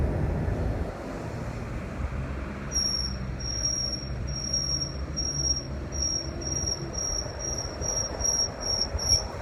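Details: A thin, high-pitched squeal pulses in quick, regular bursts over steady road rumble while driving the Flex; intermittent squeal, source still to be found.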